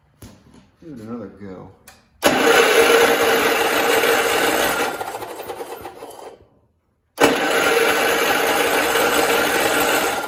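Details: 1969 John Deere 112 garden tractor that had run before but lost spark: starter churns the engine over steadily about three turns a second in two bursts, never catching; cranks but won't start, owner suspects a bad ignition coil.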